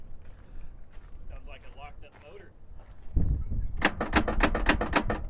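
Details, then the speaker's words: Vehicle, starter engaged: after a clunk, fast irregular clatter of sharp clicks about four a second while the engine never turns over; cause not confirmed. "i was hoping there was life left in her i was too because if she would have just cranked and you can hear it's cranking"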